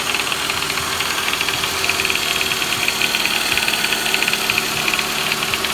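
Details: 2009 Toyota Vellfire 24Z (ANH25W), 2AZ-FE, 142,078 km: quick light metallic knock over steady idle; timing chain replacement didn't help, balance shaft and oil pump showed no visible fault, yet running without the balance shaft cured it, so balance shaft appears to be the cause.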